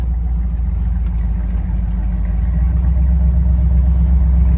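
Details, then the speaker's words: 1973 GMC truck creeping around a yard after a new posi-traction rear end replaced its Detroit locker: a steady low drone with no banging or clunking from the back; the rear axle sounds healthy. "don't sound bad. Like, you don't hear it banging and bumping. It's a lot better than that Detroit locker I had."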